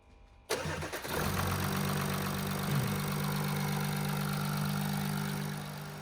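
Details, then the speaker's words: Audi A8 after a mechanical repair, with a 48V battery/generator fault still unresolved: quick crank, clean catch, then a steady even idle with no stumbles or knocks; the engine runs fine. "So the good thing is the engine is running fine, which is good."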